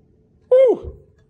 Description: Listen to what a flat soundboard sounds like a piano, and notice how the sound really blossoms in a soundboard that has crown.